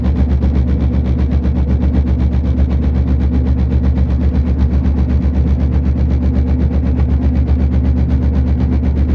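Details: Steady low droning hum with a quick even throb while driving, from a bad front passenger-side wheel bearing; fixing it cured the noise.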